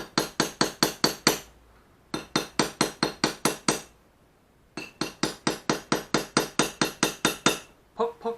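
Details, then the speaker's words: Ura-dashi on a Japanese plane blade, lightest hammer: light, quick taps in bursts of about eight, a dull pecking thud rather than a ringing clang. Correct gentle technique; hard or ringing blows risk cracking the blade. "천천히 여러번 반복적으로 쳐 주시고 땅땅땅 소리나게 7시면 안되고요 퍽퍽 찍어 주신다 는 생각으로 수시 합니다"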